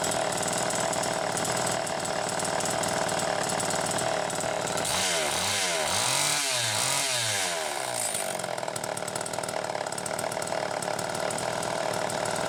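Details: Homelite Super EZ chainsaw test run after repair (would not start; baking the coil fixed it), started by drill via the decompression valve, revving up and down cleanly and settling to a steady run; the saw runs healthy.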